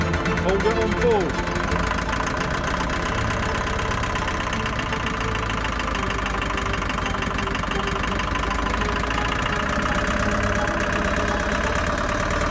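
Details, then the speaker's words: Long-stored Land Rover Series III diesel just restarted on a new battery: loud, uneven idle with a ragged clatter and irregular knocking over the rumble; idles on its own but revs poorly, owner suspects top-end knock, not confirmed. "although it runs like a Bag of Nails it actually idles on its own it doesn't rev very well and I'm not sure what that knocking is but it sounds like a top end knock"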